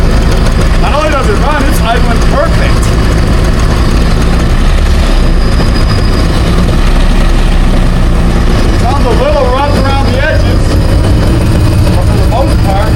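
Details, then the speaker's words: 2001 Ski-Doo 3-up two-stroke jet ski bought as a non-runner, running out of the water and smoking. Deep, uneven burble that stumbles and won't rev cleanly. Rough running and poor revving; a water leak in the motor was later found. "Alright, sounds a little rough around the edges. We might just take let's get rid of that noise."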